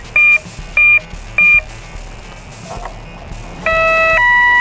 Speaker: So, arm at half throttle and then go down. Yeah. Motor's armed.